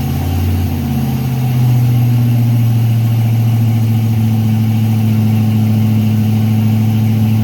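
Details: Freshly built Chevy 350 V8 during break-in with idle turned up, oil pressure around 46 psi: steady raised idle with a smooth, even low drone, no ticks or knocks; normal fast idle.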